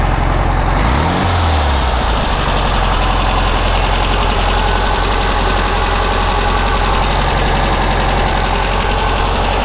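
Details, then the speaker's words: 1600cc dual-port flat-four from a 1970 VW Beetle, run before a compression test, low throbbing run with a steady uneven patter after a brief rev; sounds healthy enough. "how I do what the hell that Sal would yeah all right well I'll let it cool down and you know I'll start a compression test on it don't sound too bad"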